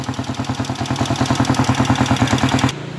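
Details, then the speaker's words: TMX155 single after a top overhaul with a 54 oversize bore: a light, quick metallic tick on every idle beat, from a loose valve still to be adjusted; valve tick from loose valve clearance. "Yan, yung lagitik na yan guys, dito yan, yung barbula nya, lumarga lang yan."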